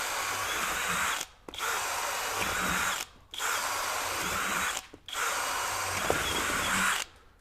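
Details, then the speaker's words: Kobalt KHD124 24V brushless hammer drill in drill mode, speed two, boring a self-feeding auger bit into pressure-treated wood: strong steady whine in three two-second pulls, speed holding under load, no grinding. "now we shouldn't hear that kind of burping noise or that grinding noise okay no problem at all even in speed two"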